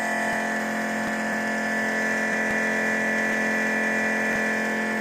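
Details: New nitrous fuel system, fuel pressure set at 13 then rechecked after snugging a leaking fitting: steady, even electric pump hum at one pitch, no surging or cavitation; pump running normally, holding pressure.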